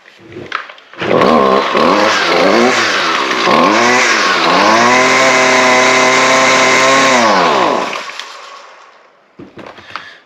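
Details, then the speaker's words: Husqvarna two-stroke weed eater after replacing its faulty kill switch; it previously would only stop when choked and flooded. Small blips rev to a steady high buzz, then it dies cleanly when switched off, so the switch now works normally. "Now, we're going to fire it up and see if it'll shut down. So our switch is working now."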